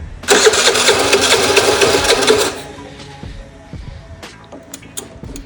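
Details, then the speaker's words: Piaggio Vespa 50 LX two-stroke scooter after wiring checks, fuel in hose and carb diaphragm intact: brief ragged two-second sputter that half-catches then dies; owner concludes fuel isn't being delivered and suspects the idle (enrichment) valve isn't working. "Сначала проверил проводку, проверил все сигналы и все остальное. И теперь пришел к выводу, что не подается топливо."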